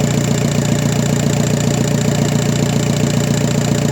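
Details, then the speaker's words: VW Passat B5 FL 1.9 TDI 130 hp automatic, after pump-injector seals replaced for a cylinder 4 misfire and hard morning starts: even steady diesel idle, regular low pulse, no misses; injector corrections tending to zero. Normal idle. "Kóra chodzi równo, korekty wiadomo. dążą do zera."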